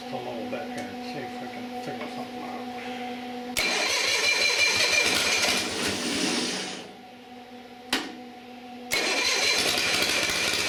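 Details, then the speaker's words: Long-stored Onan diesel generator hard starting and stalling: brief steady low idle, then cranking bursts and dropouts as it dies; owner thinks injectors weren't getting much because the pump wasn't delivering enough. "that's why I wasn't getting much out of these injectors because the pump wasn't enough"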